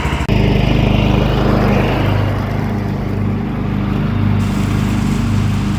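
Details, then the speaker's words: John Deere 325 lawn tractor mowing after a push-button start was installed to replace the failed ignition key switch; steady, even drone at constant pitch under load, no misses, knocks or surging, engine running healthy. "Well, everything seemed to work fine."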